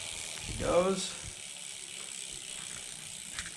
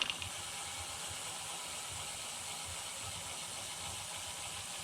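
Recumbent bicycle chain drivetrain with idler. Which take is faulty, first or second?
second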